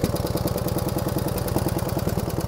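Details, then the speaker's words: 1949 Harley-Davidson Hydra Glide panhead cold start: lumpy idle with quick, even light tapping from the top end, mainly rear cylinder, easing as oil reaches the top; suspected solid lifters needing pushrod adjustment. "again that was a cold start a little bit of tapping noise out of the rear cylinder actually this noise is starting to reduce something's getting some oil up in the top in now"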